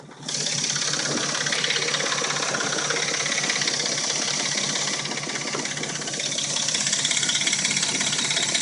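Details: Dodge Intrepid at warm idle: a light, quick tick about three times a second, a top-end rattle; the rattle and a knock occur only when warm and it sounds new when cold; timing chain suspected, not confirmed.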